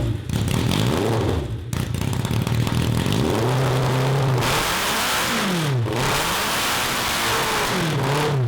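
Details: 1982 Honda CB750 engine for a cross kart: revs climb and drop in repeated blips but never push cleanly up top, running fine below 4,000 rpm; the carbs are starving for fuel at high RPM.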